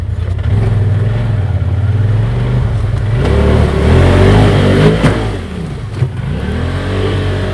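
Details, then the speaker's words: Polaris RZR Turbo UTV labouring over rocky creek-bank trail, then two sharp metallic clunks about a second apart as the bent radius rod strikes the rocks. "What that? It's my radius rod hitting the rocks. Oh, is that what it was?"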